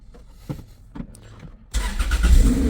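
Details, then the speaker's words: Toyota MR2 Spyder idling steadily after replacing leaking manifold-to-downpipe gasket with Remflex gasket, manifold retorqued; no exhaust leak at the joint, earlier slight rasp gone. "there is no leak at all so and even the sound of the exhaust is different like there's no there was a SL slight rasp before now there's no rasp"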